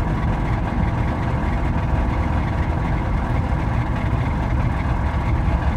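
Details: Mazda engine at its moment of death: rough heavy idle with a dull clatter buried in the low rumble, sounding close to dying; rod knock from a worn connecting rod bearing.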